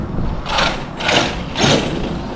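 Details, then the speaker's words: Arrma Outcast 8S 100mph custom RC car on grass: three harsh gritty bursts about half a second apart over the motor, owner wonders if it's already tearing gears; motor cold to touch afterward. "What was that? Why was it? Are you kidding me? Are you already tearing gears?"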